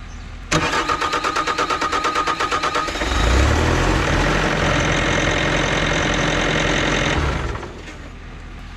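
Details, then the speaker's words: 2020 Bobcat diesel skid steer with code E000157-21, rail pressure control fault, not fixed by a dual fuel filter kit. It cranks about two seconds at three beats a second, then fires and runs unevenly. The tech suspects a cracked in-tank pickup tube sucking air, or the cold weather bypass valve. "there's a pickup tube in the tank okay and the pickup tube could be Glo more likely it's cracked and sucking air"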